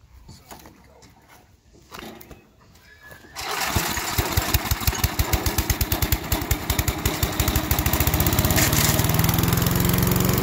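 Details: 1991 MTD 8 hp chipper/shredder with cast-iron-sleeve Tecumseh HM80 engine, after a new wheel and carb adjustment, started with starting fluid, full throttle and choke: after a few pulls it settles into a fast, even popping beat at full throttle; normal running.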